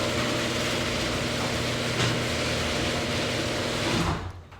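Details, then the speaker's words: Wyze garage door controller newly installed on an older garage door opener, triggered remotely; steady even motor drone with low hum and door travel noise, no knocks or grinding, until it stops; opener running normally. "and if you click it again [Music] it's slowing down so you wanna kill the sound"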